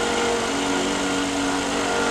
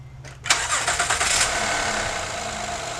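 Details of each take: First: Honda engine, noise cold in the morning only, gone when hot, owner first suspected timing belt: steady rubbing drone with fixed whirring tone over running engine; stops with serpentine belt removed. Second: 2012 Honda Odyssey with the alternator back in, after shaft play in the five-month-old aftermarket alternator was found as the cause of a rubbing noise near the timing belt: brief crank, quick catch, smooth idle, no more noise.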